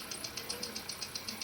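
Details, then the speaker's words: Hyundai Accent after repair including PCV valve and camshaft sensor refit and cylinder cleaning, previously misfiring and knocking: steady quiet idle with light even injector-type tick, misfire and knock gone; normal idle. "Um-start na itong makina. Nawala na yung palya pati yung knocking wala na rin."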